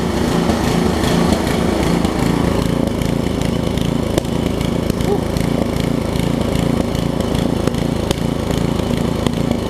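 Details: Craftsman 17-inch rear-tine tiller with 5hp horizontal Briggs engine, probably 1990s, stored for years with an empty tank, runs at a steady, even fast idle with no misses or knocks after cleaning and a new carb diaphragm; a tiny fuel leak remains at the diaphragm.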